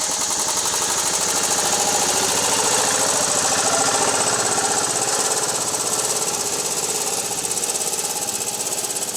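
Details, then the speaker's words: Old Club Car Carryall utility vehicle with electric fuel pump replacing failed vacuum pump, driving in yard: steady chugging engine revving up and back on its own; surging, owner suspects governor linkage out of adjustment. "Not sure if it's picking it up on camera, but it's kind of surging back and forth there, so."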